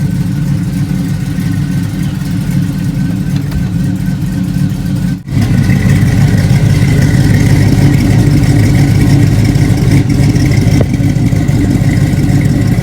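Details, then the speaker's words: Budget LS V8 swap with short-tube headers, just fired up with new pipes: choppy, lumpy cammed idle loping about three times a second; slight exhaust leak, hard to pick out, needs exhaust shop. "that's how it sounds at idle. You got it idle where you can't hardly hear my cam, but you can hear it though. I gotta go back to the exhaust shop. I got a slight exhaust leak."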